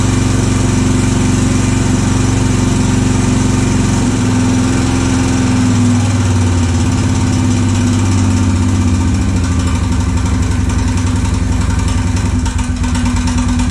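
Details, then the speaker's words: Honda 650 motorcycle of unknown year with an aftermarket performance coil and Dyna ignition, running after the fuel was drained. A loud, uneven metallic clatter over the idle, about four beats a second; crank or heavy piston slap suspected. The rattle later stopped, with slight smoking. "that don't sound good what the hell that's not good at all sounds like it's the crank the Piston's got a ton of slap oh just stop that's very odd that's a gnarly noise"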